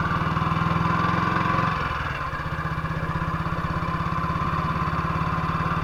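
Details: 1958 BSA C12 single-cylinder on a road test after a misfire fix; the misfire had earlier caused a breakdown, and the battery tested fine at 6.3 V. Even, steady thumping that dips briefly, then settles with no stumbles. Sounds like it used to: normal running.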